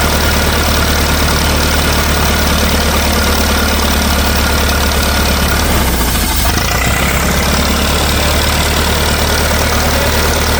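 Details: 1964 LeRoi 125G1 trailer air compressor, straight-piped, after pressure adjustment: steady engine drone that briefly changes tone as the compressor reloads right away; so much air escapes, gasket suspected, that it cycles back on continuously.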